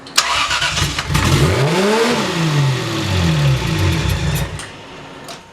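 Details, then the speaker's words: Big-turbo Lexus GS300, first start after the build: catches after a short crank, revs climb fast and high, seemingly firing on all cylinders; throttle hanging open with no foot on the pedal, a throttle screw suspected. "Sound like it was firing on all of them though. Oh, that thing picked up freaking quick."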